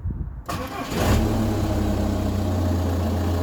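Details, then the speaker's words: VW Golf Plus 1.9 TDI 90bhp 5-speed manual diesel, after fuel filter and fuel pump replacement and with glow plugs not working: brief crank, catches within a second and settles to a steady, even idle; starts without problem. "there we are car started no problem at all"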